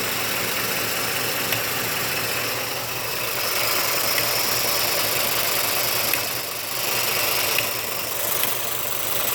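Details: Ford F-150 5.0 V8 idling steadily with faint, irregular knocks that come and go over the hum; the knocking went away and came back.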